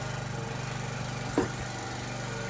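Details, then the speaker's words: 2012 or 2013 TaoTao 50cc scooter after carburetor reinstall, fresh fuel and swapped used battery: small single-cylinder idles steadily with even buzzy beat, no misses, no heavy smoke; healthy. "We got juice. All right. She don't sound too bad."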